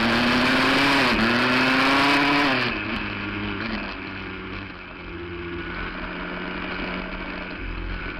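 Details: 1982 Yamaha 175 two-stroke dirt bike, started with the fuel turned on: a crisp buzz that climbs with the throttle, then drops to a steady, even idle with no misses. It runs healthy.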